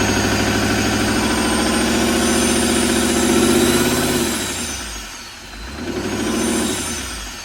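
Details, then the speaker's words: Wrecked L5P Duramax diesel truck, just jump-started: rough idle with deep regular knock swelling on a rev; possibly not making boost, suspected internal engine problem, cause unconfirmed. "Oh, yeah. That was a little rough. Yeah. That might not sound good. Give it a little rev and see. That's the only way to really tell."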